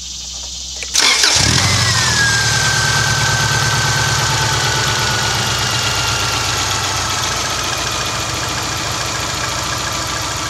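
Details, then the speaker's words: Subaru Baja petrol engine after cleaning and lubricating the idle air control valve, previously idling high around 1,800–2,000 rpm and hunting: cranks, catches, and drops to a steady, even 750 rpm idle with no hunting; normal idle. "right away my rpms drop down 750 the first time has done that in about three months"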